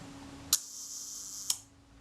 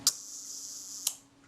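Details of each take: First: Kodak Retina IIIc Synchro-Compur shutter, after moving the speed train toward centre for more cam engagement: crisp click, steady whirr about one second, clean closing click; slow speed now sounds right. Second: Kodak Retina IIIc Synchro-Compur shutter at 1 second, during cleaning and reassembly before speed train adjustment: sharp opening click, thin steady escapement buzz, closing click slightly under a second later; runs smoothly but fast.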